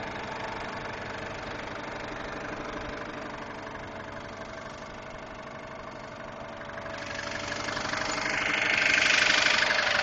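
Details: 2002 Subaru Impreza WRX idling: light steady ticking about two a second from the engine, started about two weeks ago; engine ticking at idle, cause unknown.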